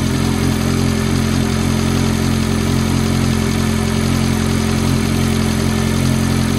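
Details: F430 at steady high idle after cold start: a light tick about three times a second rides over a deep, even hum; cause unknown.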